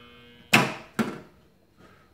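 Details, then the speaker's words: Motor contactor buzzing with a steady mains hum, then clacking twice as it switches; dirty contactor noise. "this is a 208 volt coil so this one is not going to do us any good we need a Hart bolt that one's getting a little noisy I guess you can hear that"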